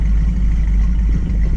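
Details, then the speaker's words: 1969 Ford Mustang convertible V8 after exhaust mod and repair of an engine cut-out: deep, even rumble with a smooth steady beat, no tapping or misses; loud enough but not obnoxious. Healthy V8 exhaust note. "exhaust noise is loud enough, but not too loud that it's obnoxious."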